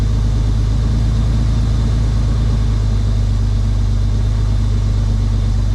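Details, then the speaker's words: 1998 Ford Explorer derby trailer-race rig, long sat in the yard, just started cold: deep even steady low rumble with no knocks or misses settling into a smooth idle; sounds good, normal idle. "Ignore the fact that it has sat in this part of the yard so long that a tree is growing up through the engine. Sounds good though."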